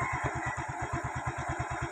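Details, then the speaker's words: Yamaha Mio i 125 after throttle body cleaning and idle screw adjustment, idle set by ear (spec said to be 1,500–1,600 rpm, unmeasured): steady even pulse about eight beats a second, no hunting or dying; idle good. "So yun lang mga paps um hindi namamatay ang Mio natin"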